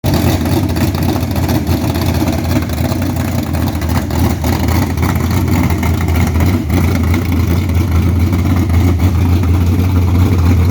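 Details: 1969 Camaro V8 with old eBay heads, Holley Street Dominator, 600cfm Holley, 12-601-4 cam kit and full-length headers: a lumpy idle about three beats a second with an extra uneven rattle, cause unknown.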